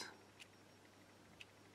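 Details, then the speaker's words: Lavet stepper motor from an old electromechanical quartz alarm clock, 1 Hz coil pulses, gear seen through a window: faint, crisp ticks exactly one second apart in a quiet room; normal ticking. "one revolution per second or half a revolution per second I think and that's making the tick or the sound the typical sound the t's alarm clocks make"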